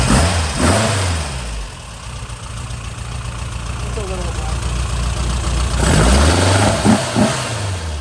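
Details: Freshened real Porsche flat-four in a Speedster replica with a custom exhaust, idling after a cold start with fuel pressure being checked; a steady low beat with clean throttle blips, smooth and healthy.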